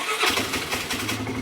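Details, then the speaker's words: 2006 Polaris Hawkeye ATV with jumper-cable battery, after belt replacement: engine catches at once and settles into a quick, even idle with no stumbling; healthy start. "oh right away I have never had an issue with this thing not wanting to start except for when the battery's dead or when the choke is stuck and won't pull"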